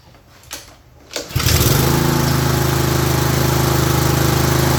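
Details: Craftsman (MTD) self-propelled mower with a Honda engine that would not start, after a missing or misplaced gasket was fixed when refitting the fuel system; a couple of pulls, then it catches and runs a smooth, steady chug, smoking slightly.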